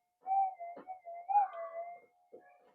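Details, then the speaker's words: Minelab GP-3000 metal detector under repair after op-amp offset checks and a failed transistor: a thin, wavering whistle barely swells as metal passes the coil, a weak target response, while switching between mono and double-D modes. The owner suspects a faulty mode switch. "It's so weak. Mono. All metal."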